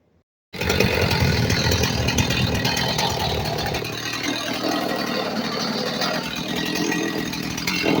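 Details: Stihl 029 chainsaw after rebuild with carburetor cleaned, fuel lines reconnected and fresh gas: fires straight up and runs with a strong, steady two-stroke buzz, revving cleanly without stumbling; sounds healthy.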